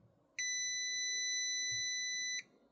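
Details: Mustek PowerMust 530 Plus UPS reassembled with battery inside, after upgrade: one steady high-pitched two-second beep, quiet background with no transformer hum; running on battery normally.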